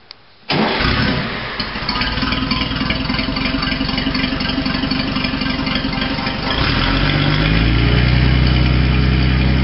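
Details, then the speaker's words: Rally car after the Gordon Bennett Rally, starter motor refitted (fifth attempt): brisk, even cranking at about four beats a second, turning pretty quick, then catches and settles into a strong idle; starter now working properly. "yeah see it's turn yeah it's turn pretty quick all right that's that's what you need"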